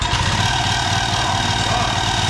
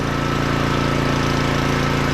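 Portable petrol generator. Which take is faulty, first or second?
first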